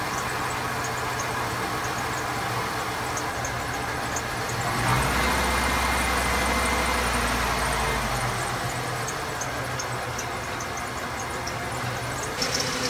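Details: 1994 Ford F150 XL, 4.9 inline six, after reinstalling the IAC valve and installing a new MAP sensor to fix a no-idle problem: starter cranks briefly, engine catches within about five seconds and settles into a steady, even idle on its own.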